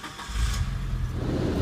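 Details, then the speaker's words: 1996 Mitsubishi Lancer Evolution IV GSR, right-hand-drive JDM import that starts without pressing the clutch, heat on: catches quickly into a smooth, deep, even rumble with no knocks or misses; normal cold start. "very clean sounding car so all the dash lights obviously go away"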